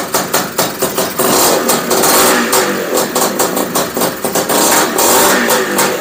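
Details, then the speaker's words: Honda Odyssey FL350 two-stroke with new DG Extreme exhaust and Keihin carburetor on VP racing fuel, first start, choke off: crisp, eager firing with sharp rev blips, no misfire or rattle; normal running, carb idle adjustment still pending. "oh my goodness guys did you hear that it was amazing oh my goodness oh my heart's beating a million miles an hour [Laughter] yes yes oh man you guys it sounded so good"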